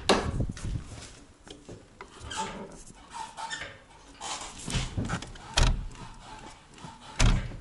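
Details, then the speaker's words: VAZ 2106 Lada, original 60,000 km, after new clutch cylinder, hoses and reservoir and bleeding: irregular rubbing squeaks and creaks once or twice a second as the pedal is worked; owner suspects pedal spring or slave cylinder, tries spraying lubricant. Clutch pedal squeak. "также завел тормозуху все прокачал правда какой то скрип появился сейчас послушать как звучит"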